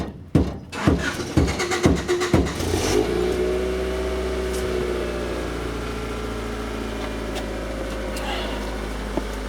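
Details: 1993 Honda Accord that shuts off when hot and won't restart (runs on propane when it dies): slow cranking at about two beats a second, then catches and settles to steady idle after beating on the tank. Failing, sticking fuel pump.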